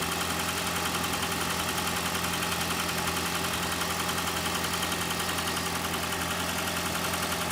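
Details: Petrol engine idling during oil pressure test on a 2012 Toyota Prius 2ZR-XFE: a faint, fairly even tapping at about three per second. Pressure reading drops slightly. Knock cause not yet found.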